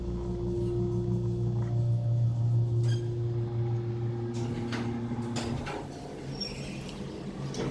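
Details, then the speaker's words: 1970s Otis hydraulic elevator submersible pump, heard from the cab on the up trip to floor 3, believed installed mid-to-late 70s: smooth, even low motor hum holding one steady pitch; pump sounds healthy. "Listen to this submersible pump. It's really epic."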